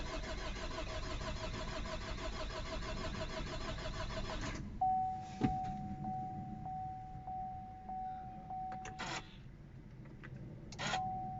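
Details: 2012 Chevrolet Cruze 2.0 diesel cranks steadily about four seconds without catching, then stops and a warning chime sounds; cranks but won't start.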